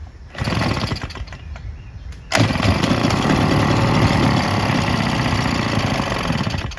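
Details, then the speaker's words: Husqvarna 150BT two-stroke backpack leaf blower with oil poured into the spark plug hole to seal the piston and bore: after a few pulls it buzzes about four seconds, then fades; the oil burns off and it won't restart from low compression. "that's it so it burns off all the two stroke and won't start again"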